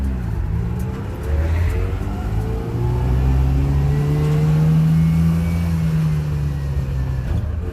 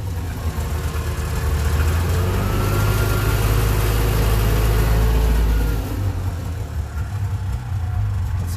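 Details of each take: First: Subaru 360 van two-stroke on a road test, pulling through second gear at 20 mph into third with no grinds. A smooth, buzzy note climbs steadily with speed, amid body bumps and rattles: normal acceleration. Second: Subaru 360 van two-stroke on its first cold start after repairs to the choke, a new frame-mounted fuel pump and new ductwork. A low, ragged burble wavers and sags toward stalling and stays lit only with the choke held out; the charging surges and it smokes: a rough cold idle.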